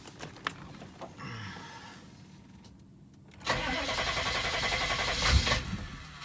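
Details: 6.5 Detroit Diesel with a new PMD: a long grinding crank before it stumbles into an uneven idle, then has little power and stutters and stalls. Hard start from a failing injection pump; replacing the pump made it run like new.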